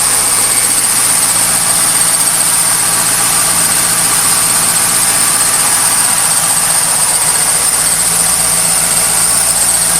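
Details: 1998 Pontiac Trans Am after startup: high thin chirping repeating quickly over a steady idle, lasting about 10 minutes; the cause was later found to be a dry-rotted A/C belt, though pulleys can also cause it.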